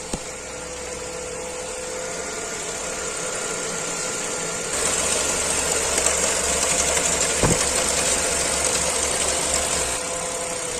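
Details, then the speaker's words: Renault Clio 4 1.2 TCe petrol engine idling smoothly and evenly after repair of a timing-chain clatter with power loss and doubled fuel consumption; slightly warmed, fresh clear oil, no clatter, power restored. "linéaire beau bruit je l'ai laissé chauffer quand même Mme un petit peu hein voilà les freins ça siffle pas magnifique et le bruit moteur on est bon"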